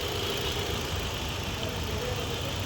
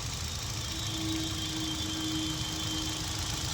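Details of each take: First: Hyundai i20 petrol with stored P0300/cylinder 3 misfire history, idling after checks show ignition coil and spark on all four plugs fine: steady, even idle with no stumbles; engine sounds silent and smooth. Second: Hyundai i20 petrol idling with the cylinder 3 injector connector unplugged during a P0300/cylinder 3 misfire diagnosis: steady hum with a faint uneven stumble; the car had a warning light, missing and jerking.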